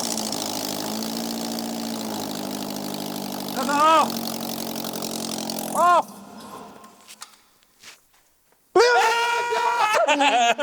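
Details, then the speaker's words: Renault Clio 172 running for the first time in 9 years after an engine install, with no exhaust and no intake system fitted: loud, steady, even idle for six seconds with no misses or stumbles, then a clean shutoff; running fine. "mind we have no exhaust on it we have no induction like with no intake system we have nothing it runs"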